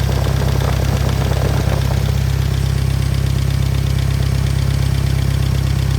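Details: Willys engine powering a Hobart welding machine, just after re-ring and valve job, idling: deep, even idle with a steady low beat, nothing knocking or missing; running strong, though owner suspects one valve slightly loose.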